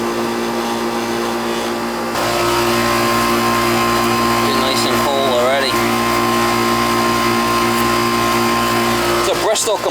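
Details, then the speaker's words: Old Goodman R22 AC condenser with Bristol compressor, running after a service call for a unit that tried but failed to start: steady motor hum with an even, somewhat loud compressor drone; noisy but running normally. "Hear the compressor in there? That's a Bristol. Noisy. But it works. Alright, that's it. It's running."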